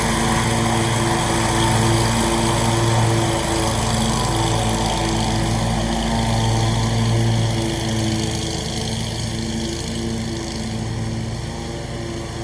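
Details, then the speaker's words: Scag mower with a brand-new Briggs & Stratton engine, blade belt reinstalled to test the blades: steady, even drone at constant speed with no misses, knocks or surging; normal running. "Alright guys, well there you have it. Running good."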